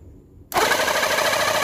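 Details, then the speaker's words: Reaim cordless battery jet cleaner that previously wouldn't spin or spray and hummed with a hot motor, tested after reassembly with rotor grease checked: a steady high motor buzz and fast, even pump chatter, no grinding. Pump, piston and motor are back to normal. "Sudah kembali normal ya, Teman-teman ya untuk pompanya dan untuk pistonnya dan juga untuk dinamonya."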